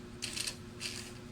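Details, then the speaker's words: Mitsubishi Adventure speedometer gauge off the vehicle, cable turned slowly by hand: dry rattling chatter in short bursts over faint hum; owner reports noise and needle jumping to 100–120 from 60 km/h, odometer stuck: noisy mechanical speedometer. "Oh mabagal palang pihit ko pero maingay na siya."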